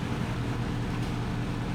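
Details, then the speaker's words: Porsche Cayenne Turbo V8 after rebuild and de-modification, heard from behind in an echoey garage shortly after start: deep, steady burble with even beat, no misses, knocks or ticks; normal idle. "Look, if I stand back here, you can hear it just burbling away. Oh, so nice. Oh, that's absolutely spot on."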